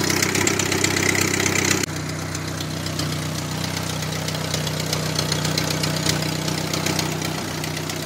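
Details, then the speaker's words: Daewoo Lanos with a swapped-in GM Family 1 1.4 L engine and two broken exhaust manifold studs, sounding like a tractor: sharp, rapid ticking puffs about four per second over the running engine; exhaust manifold leak at the broken studs. "the only problem is that still has those two broken studs which something that I have to fix soon because it sounds like a tractor"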